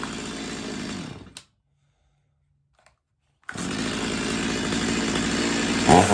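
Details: Stihl MS250 chainsaw after carb retune (previously warm-restart trouble), warm; high steady rev, briefly cutting out then picking straight back up, clean and crisp; tuner satisfied.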